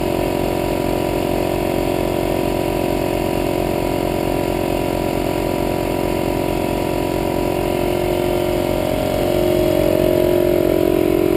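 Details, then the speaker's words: Harbor Freight 150 psi 1.5 hp 6 gal oilless compressor (about 1200 W) on a generator at its capacity limit, 1:45 in at 75 psi: steady low engine thrum at constant speed with compressor drone on top; generator engine laboring, breaker not tripped. "you can hear the compressors really drawing the power on the generator so it hasn't kicked the breaker yet though"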